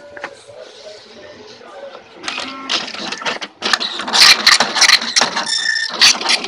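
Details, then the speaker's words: Tally T5040 dot matrix printer clattering with loud, irregular bangs while printing a status page, giving scattered, messy print. The cause is an overly loose print head carriage part. "Perhatikan ini terlalu longgar ya. Terlalu longgar kan, inilah yang menyebabkan bunyi-bunyi. Karena longgar kan? Ya, karena longgar."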